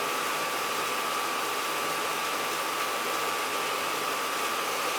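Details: Oil boiler (possibly a New Yorker) with no heat or hot water: the Tjernlund power venter blower runs with an airy rush and thin whistle but the burner never fires; the switch reads 110 V in and only 24–28 V out, so it is faulty.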